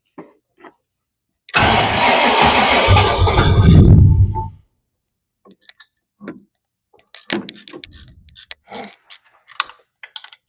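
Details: Supercharged 1962 Ford Falcon gasser: about three seconds of steady, fast cranking that never catches, then quiet; owners suspect supercharger load and remove the belt.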